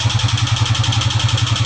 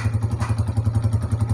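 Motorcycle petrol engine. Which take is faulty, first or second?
first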